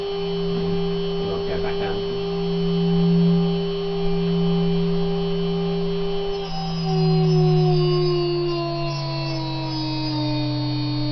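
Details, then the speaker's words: Higher-quality 3 kW water-cooled Chinese spindle with better bearings, at full 24,000 RPM and then spinning down: steady clean high whine, then pitch slides evenly downward as it coasts. Normal run and spin-down. "so starting with 6,000 that's 6,000 now going to 12,000 now 18,000 and finally 24,000 RPM that's now running at full"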